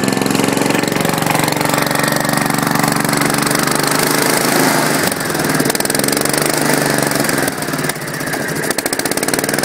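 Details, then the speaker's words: Gravely with a Kohler K241 single, first start, running rough at fast idle with fuel leaking from the fuel pump. A loud, irregular clatter over the firing beat; the owner suspects a rod knock from the bottom end. "but it does run the rod sounds pretty loud which i don't really like that sound"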